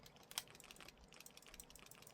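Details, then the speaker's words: Jointed plastic MagSafe selfie-stick tripod: quiet, irregular dry ticks and crackles with one sharper snap as the joints and handle flex and creak. "이런 관절이 있는 제품들은 삐걱삐걱 소리가 나요. 걸으면서 흔들리니까 걸으면서 흔들리니까 이게 삐걱삐걱 소리가 나요."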